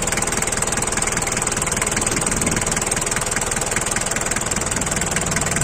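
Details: Daihatsu Taft Rocky diesel, just started, idling with an even, steady clatter and a regular beat, no misses or knocks; no blow-by smoke. A normal, healthy diesel idle.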